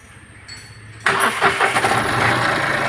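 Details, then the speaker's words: Mahindra Quanto diesel, towed in for water pump noise and coolant-leak overheating, coolant refilled and idled 10–15 minutes: starter catches quickly into steady even idle, no water pump bearing growl or squeal; normal start and idle. "വണ്ടി start ചെയ്യുമ്പോൾ നേരത്തെ പോട്ടുള്ള ഒറ്റയോ കാര്യങ്ങളോ ഒന്നുമില്ല means നമ്മൾ കണ്ടതാണ് ആ water പമ്പിന്റെ bearing കാര്യങ്ങൾ okay"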